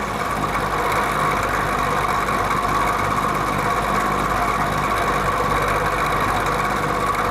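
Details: Vintage Penncrest (Lakewood) box fan on high speed: steady whirring drone with thin ringing tone on top; worn rear thrust washer in the motor, noise fades when fan tilts down, louder tilted back, persists after oiling.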